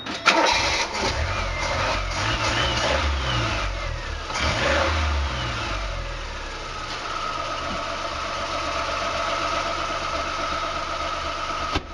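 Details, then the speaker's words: 1986 Chevy Sprint just fitted with a 1979-80 Datsun 210 carburetor on a custom spacer, vacuum lines reconnected: cranks and catches quickly, revs up and settles into an even idle without stumbling or popping; running smoothly. "yeah this puppy sounds like it's running really smoothly"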